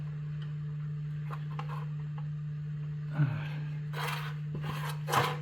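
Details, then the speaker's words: 1979 VW Super Beetle alternator replacement, fan turned by hand after mounting with its nut; short, rough scraping rubs at uneven intervals as the fan skims the shroud; needs an extra shim. "okay if you see you hear that noise that's not the desired effect we don't want any any uh any any skimming like that"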